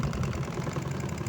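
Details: Astro spin dryer after repair, rear cover still off to listen for more hum. Now a steady, even low hum with no rattle, knock or rubbing as the drum spins, running normally.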